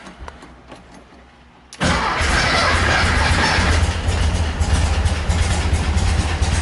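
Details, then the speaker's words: Slammed 1973 VW Thing, first start in 2 years after dual carbs and cleaned-up junk distributor fitted; catches after short crank, busy idle with light rapid ticking; valve train noise, owner unsure if valves were adjusted, suspects valve adjustment needed; generator also noisy. "that's some pretty good valve train noise I don't remember if I even adjusted that I think I did probably needs a valve adjustment"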